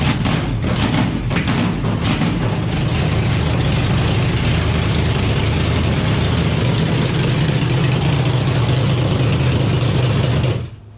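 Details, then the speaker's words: Chevy small-block nitrous V8 on its first start, cold, with good oil pressure: a loud, lumpy idle with an uneven beat and surging, nearly dying on throttle; it runs rough and needs carb tuning. "sound it definitely needs some carb tuning but yeah it's tuned i mean hell it's the first time it's run so man it sounds good though"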